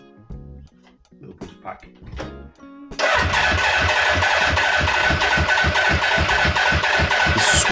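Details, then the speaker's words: 1986 Suzuki Katana four-cylinder, first start after 31 years, fuel on reserve, choke held on: catches and settles into a lumpy, uneven beat of about four pulses a second; misfire, not all cylinders firing per exhaust temperature check. "although the engine was running it wasn't running all four cylinders so we got out the thermal temperature probe and zap the exhaust to decide which ones will burning and which ones wor"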